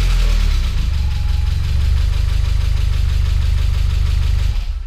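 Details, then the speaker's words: Freshly built engine on its first start, with some oil smoke: a lumpy, uneven idle with dull irregular knocking, more than lifter tick. A timing light confirmed the ignition timing came randomly set and is completely off the scale. "That's more than lifter tick. Something's not quite right. You want to do a compression test real quick? Oh, you know the timing is set to something completely random."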